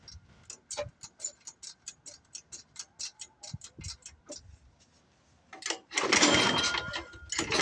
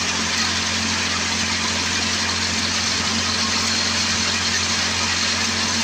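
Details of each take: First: Old Craftsman 24 snowblower with a Tecumseh engine that sat for years, at about 28°F, with the cylinder lubed and a hole in the plug boot: slow pull-start ticks, a brief rough burst, then it dies; a carburetor problem is suspected. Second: Old Craftsman 24 snowblower with Tecumseh engine, started after sitting for years; runs with a steady, even buzz, no surging or hunting; running well.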